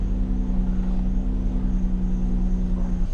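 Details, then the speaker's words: 2011 Chrysler Town & Country that had cranked without starting; a fuel pump fitted earlier by a mobile mechanic didn't fix it. It now idles steadily and evenly with no misses or stumbles; it runs but needs a TIPM. "Okay. And it runs. Just needs a TIPM."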